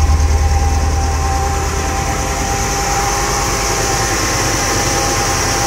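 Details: Mercedes CLK W208 with M111 engine, finding cause of misfire: steady idle with uneven stumbling beat, about three irregular pulses a second, misfire at idle.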